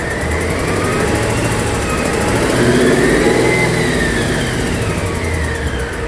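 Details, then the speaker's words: Just after a new clutch, headers and header studs were fitted, a steady light ticking persists as the engine revs up and settles, still seeming to come from the same side; the owner feared engine damage. The cause was an ignition coil misfire. "gas okay so at this point we were looking around for the noise and it was still there and it still sounded like it was coming from the same side so we were scratching our heads"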